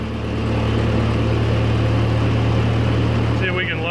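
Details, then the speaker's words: 1940s Ford tractor engine, cold, after carburetor adjustments: a quick, steady, even idle well above a normal slow tickover, so the idle is set too high. It is charging, shows only 30 psi oil pressure cold, and is not smoking or burning oil. "the idle seems to be idling pretty high son of a gun the thing's actually running it's charging"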